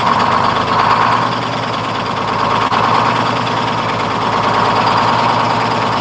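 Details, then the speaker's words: 1948 GMC Silversides PD3751 Greyhound bus, 6-71 two-stroke diesel after in-frame rebuild, first start: loud, busy chatter that stays even and picks up crisply with throttle; good response, normal idle and revving. "Sure has good response. Yeah, it does seem like it's got really good response."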